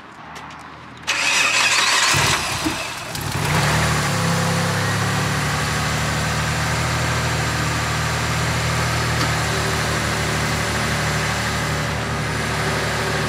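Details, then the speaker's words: Mitsubishi Legnum VR4 being checked for burning oil (turbo or head gasket suspected): quick catch after a short crank, settling into a smooth, even idle with no ticking, knocking or misfire; sounds healthy, smoke hard to see. "it sounds sweet isn't that actually yeah i don't i don't see any smoke in there there is there is"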